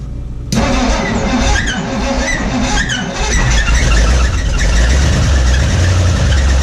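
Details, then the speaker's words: 1961 Mercury Meteor first start in decades after new ignition parts: cranks, catches, then runs rough with uneven knocking under a low rumble, noise thought up front; oil pressure light stays on, no oil pressure. "We're not getting any oil pressure. Do we need to pop the valve cover off to see if there's any oil on the top of it?"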